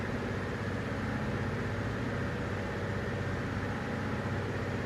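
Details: Toyota Tundra 3UR-FE V8 low idle with uneven loping beat about two to three times a second, a cylinder number 7 misfire before engine rebuild.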